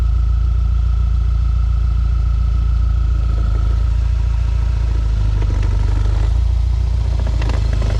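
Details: 2012 B8.5 Audi A4 S tronic dual-clutch, just over 120k miles, dual-mass flywheel already replaced: deep drone with loose clattering, only in reverse under load; clutch badly burned due to faulty mechatronic unit.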